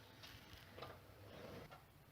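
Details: Infiniti FX37S wheel spun by hand on a lift: soft whir and light ticks, no hum, no play; the healthy side, compared against the opposite hub whose bearing hums.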